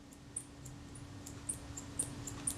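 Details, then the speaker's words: Kodak Retina Reflex S camera shutter, worked by hand during servicing: short thin high-pitched squeaks about twice a second from a very stiff mechanism plate, metal rubbing on metal. "and it's squeaking that's the sign that metal is rubbing on metal and it's not enjoying it"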